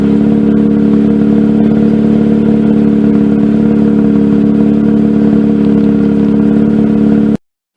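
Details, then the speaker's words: 2004 Mazda RX-8 rotary, 105,000 miles, the day after fitting new Black Halo Racing coils, MSD wires and plugs, following rough running and throttle-body-related idle problems: a steady, even hum with no stumbles. Starts fine; normal smooth idle. "but to me that sounds quite a bit smoother and it started just fine this morning"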